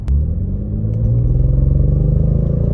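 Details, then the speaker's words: Audi S5 3.0 TFSI supercharged under load: deep uneven rumble and judder as the engine struggles. The EPC light comes on, with a cylinder 6 misfire and P130A cylinder disabling. "so now it's shaking properly we have it nice fire i think you can you can hear it now"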